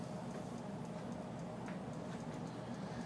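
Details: 1920s General Electric Type AH Form V2 52-inch antique ceiling fan, restored in the 1990s, original speed coil missing: quiet hum with a faint light tick repeating about once per turn, the rotor just kissing the stator at one spot.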